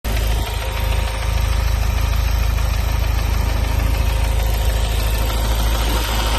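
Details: Ford Focus RS Mk3 turbo petrol engine idling with a light, fairly regular tick, about three a second, over its low hum; source of the ticking unknown.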